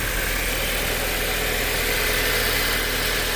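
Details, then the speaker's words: 2008 Audi A4 2.0T after new PCV valve fixing crankcase vacuum (codes P119A, P2279): smooth, even idle, steady hum, no tapping or rattle; much quieter, though metal debris means camshaft wear may remain. "It's definitely a lot quieter."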